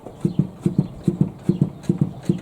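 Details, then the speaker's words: Lada VAZ "девятка" with the whole suspension already replaced and the knock still not found: dull low paired knocks as the body is rocked, seemingly not from the strut; the cause is a loose, shifting frame rail section. "Такой крайне неприятный тоже. Когда слушаю, вроде стойка не стойка, но дело не в ней. То есть отдаётся не понять откудого."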